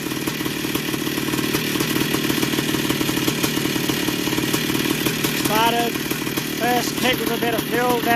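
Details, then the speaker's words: 1982 Yamaha YZ490 two-stroke after a six-month rebuild (new bottom-end bearings and seals, top end recently done), first start-up: steady crisp even idle crackle with no bottom-end knocking, much quieter than before; healthy normal running. "she St sounds pretty good sounds a lot quieter than before new"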